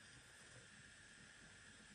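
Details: Hard drive that only beeped with platters not turning because the head was stuck mid-platter: after pushing the head aside and reconnecting power, a faint steady hiss and even high hum as the platters spin normally.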